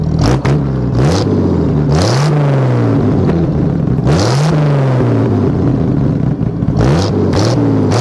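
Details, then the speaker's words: Ford bullnose 300 cu in after one- to two-barrel carb conversion, camera magnet-mounted next to the exhaust pipe; quick revs from idle with sharp tailpipe pops, blue and yellow flame seen; exhaust popping on revving, rich mixture suspected. "I just watched that. Unfortunately, there was only one, but it wasn't just blue. There was some yellow fire in there."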